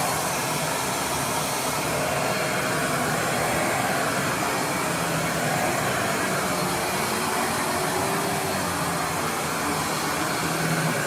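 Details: Riccar R25 vacuum switched on using its side controls, after the broken power cord was replaced. A steady, airy rush at constant pitch with no surging or grinding: the motor runs normally.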